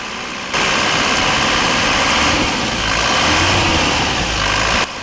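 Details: 2016 Isuzu Panther GT diesel freshly started and warming up after an engine overhaul with liner work, done for smoke and oil from the dipstick: steady, even idle with no knocking, misfire or rattles; normal idle.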